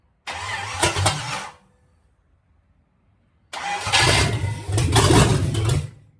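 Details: Bone-stock Chevy 305 V8, leftover engine for a 53/54 Dodge tow truck, first start after hookup: two short bursts as it catches, the second running evenly a few seconds on all eight cylinders, no misfire or knock; healthy.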